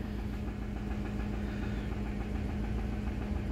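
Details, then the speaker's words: 5.4L Triton V8 in an 11th-generation Ford F-150, cold start on 5W-30 synthetic, no fan or shroud, no check engine light: low uneven knock at idle; owner asks whether rod knock, oil pressure drops when thermostat opens. "it should warm up pretty quick as there's no fan like I said no shroud but you can hear the knocking I don't know why but it's not as bad today but it just sounds bad"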